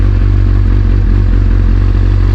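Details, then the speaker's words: 2001 Kawasaki ZX6R carbureted, cold start: steady deep fast idle on choke, smooth even beat, no misses; closing choke now would stall it, so left to warm until about 107 degrees engine temperature. "If I were to push my choke up now, then the bike would just stop running. I don't want to do that currently because I'm trying to head to work. But I have to leave it like this for a little bit to let it warm up."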